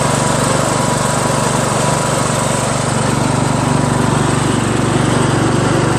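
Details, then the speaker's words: Craftsman LT1000 lawn tractor after new drive belt install (owner unsure it's the right belt), first test drive around the block: steady single-cylinder chug about four beats per second under light load, a little noisy; engine running normally. "Seems to drive fine. little noisy, but and the steering's kind of stiff. But made it back okay. Engine seems to run just fine."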